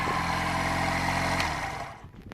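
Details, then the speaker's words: 46-year-old Honda CD175 during restoration, first start: steady even engine note about 1.5 seconds then drops away; runs clean, no ticks, misfires or smoke, healthy. "But wow, that sounds beautiful, doesn't it? No smoke out the rear or nothing. Oh, that's beautiful."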